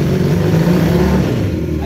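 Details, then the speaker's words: Kawasaki KZ440 motorcycle in first and second gear at about 20 mph and around 5,000 rpm. The engine stumbles and won't accelerate at a certain throttle position, then catches and pulls; a tiny vacuum leak is noted. Cause unclear: stutter under acceleration. "why does a stutter like that when I'm in first and second gear going about 20 miles per hour it'll stutter where it won't accelerate in a certain throttle position and then a little is it catches and it'll start to accelerate"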